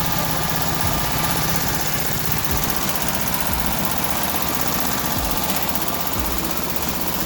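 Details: VW Type 1 air-cooled 36hp flat-four after rebuild (suspected rod knock was actually pushrod guides): steady fast idle with busy, even clatter and airy fan hiss.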